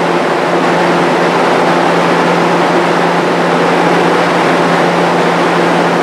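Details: Restored, powder-coated Jenny fan with a variable-speed-capable motor, running while sitting on wooden blocks: a steady rush of air over a constant low hum with no vibration, wobble or bearing noise; normal fan run.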